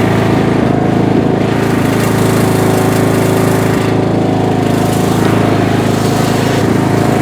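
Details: Bolens M762F lawn tractor, 10 hp single-cylinder, revived after a no-compression teardown, on a test drive burning off spilled oil: loud steady chug about four beats a second, even under load; runs healthy.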